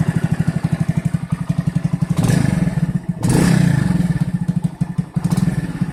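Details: Moped engine after fixing a whistle traced to a leaking intake manifold gasket, resealed with sealant and stripped bolt sorted: crisp, even idle pulses with clean throttle blips and no whistle; healthy running.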